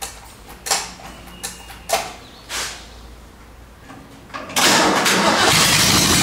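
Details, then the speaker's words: 1947 Ford truck rat rod first start attempt, no coolant in radiator, cranked by jumping the starter solenoid; scattered clicks then a loud harsh steady roar while cranking, unidentified noise, source not found. "What's that noise? Something making a noise, I don't like that."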